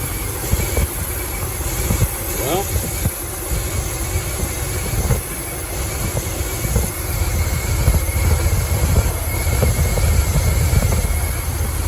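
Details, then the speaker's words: 2006 Dodge Ram 1500 Mega Cab, lifted, after fuel-pump replacement that didn't fix the problem: heavy, uneven rumble stumbling and surging, running badly; unplugging a coil kills it, owner suspects a short or wires touching. "Running like crap right now. Thought maybe if I pulled the light away I could see. Yeah, it's running like crap. You guys can hear how bad it is."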